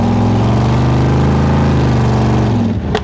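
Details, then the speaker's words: Speedway Motors 1923 T-Bucket, small-block Chevy 350 with Turbo 350 and open pipes, driving on the road. It has head issues and a stuck valve yet runs well, pulling cleanly up the revs with a crisp, even firing note and no misses. "But the motor actually runs pretty good too right now. Even though we got some issues going on with the heads and a stuck valve, it runs good. It runs like it can breathe a little more too."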